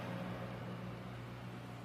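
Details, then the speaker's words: Microwave after repair (magnetron seat area, where saturated paint exposed metal, sanded and repainted), heating a cup of water for one minute: steady even mains hum, low drone, no crackle, snapping or smoke. Normal microwave operation. "microonda ligado você pode ver aí ó normal sem ruído sem aquele aquele aquele ruído de curto circuito saindo fumaça nada"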